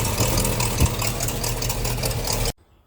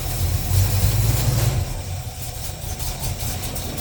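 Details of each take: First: 350 Chevy small-block V8 idling: fast, sharp puffing tick over the beat, sounding like exhaust manifold leak but actually exhaust blowing past the intake manifold gasket where soot shows; gasket to be replaced. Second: Chevy 350 small-block in the pickup ToXiC, first start after intake manifold gasket and fan clutch replacement, with a little choke and not yet warmed up: deep, even V8 idle, steady low thump, no ticking or puffing; normal idle.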